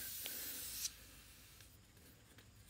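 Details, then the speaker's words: 1944 Allis-Chalmers WC tractor: a sharp, steady high hiss of air leaking from an old tire, cutting off abruptly. "okay there you have it folks you can hear it hissing away there"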